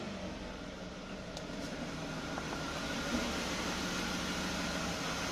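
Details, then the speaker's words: Jaguar X300 at idle after retensioning the alternator belt: steady even idle, smooth low hum, no belt whistle or squeal left; quiet accessory belt, normal idle. "donc là on a plus du tout de couinement donc c'est sympa et favorable"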